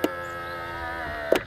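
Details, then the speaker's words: BMW X1 E84 power folding exterior mirror: thin steady squeal about a second and a quarter between clunks, driver and passenger mirrors both squeaking, worse after oiling; dry fold mechanism. "hört jetzt der quietscht und auch der Beifahrerspiegel quietscht"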